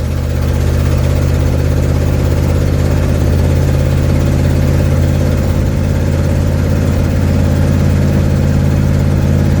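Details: 1972 Ford Mustang driving home, phone mounted in the dash, leak not yet fixed: loud, steady low V8 rumble with a raspy, chuffing edge over the engine at constant speed. Exhaust leak.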